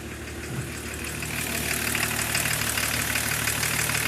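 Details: BMW E36 325td diesel: idle with sharp, fairly even clatter of about three knocks a second; abnormal engine noise, cause unknown.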